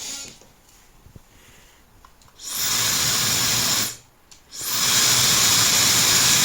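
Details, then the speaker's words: Known-good hair dryer, recorded through a sound probe on an A02 oscilloscope watching the 20K–23.1K band: the airflow rushes up smoothly over a couple of seconds at each switch-on, then holds an even roar; normal motor spin-up. "好，这比较明显，它电机开了以后会有个升速的一个过程。"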